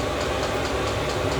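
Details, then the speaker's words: Chinese diesel heater after replacing noisy worn fan ball bearings, warming up from about 62°F ambient to over 85°F output; steady, even whir with a soft combustion rumble, no fan scraping or rattling, sounds much better. Normal running. "so I am feeling good about it but I I'm not going to celebrate for a few hours of this running but man that sounds so much better"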